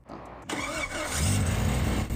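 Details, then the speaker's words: Jeep Grand Cherokee on monster axles, stranded in the forest for days, after being fixed: a quick crank catches at once without a jump start and settles into a steady, even idle with no stumble. Starts cleanly. "Well, those three days weren't wasted. Yeah. Yeah, we fixed it. Didn't even need the quick start."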